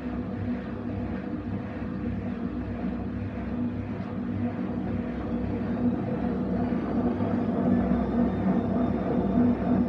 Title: Essentialls c510wm14 failed drum bearings